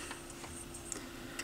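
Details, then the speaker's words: Sansui P-L50 turntable after cleanup, belt and RCA cable work, running an auto-start cycle: steady motor hum with clean clicks as the arm goes over, drops and returns. No slipping or grinding; working properly. "press start it goes over listen to like four records on it yesterday as I was cleaning up the garage drops exactly how it's supposed to comes up"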